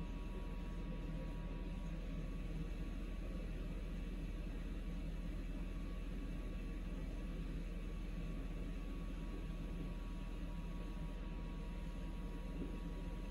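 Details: Samsung Eco Bubble WD106UHSAWQ washer-dryer drying a blanket on the 2-hour timed dry cycle, with the panel stuck showing 1 minute remaining: constant low rumble and steady hum, no knocks or scraping; normal drying cycle.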